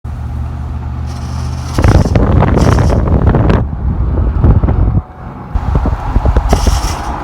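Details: 2014 Ford F-150 grinding while driving: rough, irregular grinding bursts over a low rumble from front IWE hubs not fully engaging or disengaging, caused by a cracked vacuum tube between the check valve and the AWD actuator; solenoid and check valve bought.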